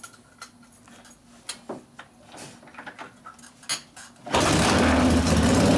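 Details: 1972 Harley-Davidson Ironhead Sportster XLCH V-twin after case repair and motor rebuild (it had come in with a kick starter that would not turn the motor); after clicks and handling it fires and settles into a strong, steady idle: normal idle.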